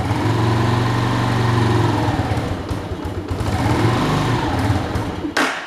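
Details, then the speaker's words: Italika motorcycle running on 100% ethanol for the first time, carburetor not yet adjusted: small engine's beat wavers, sags and dies; uneven running and stalling, owner suspects the engine is cold. "Creo que está fría, por eso se apaga. Es la primera vez que le echamos etanol a esta moto."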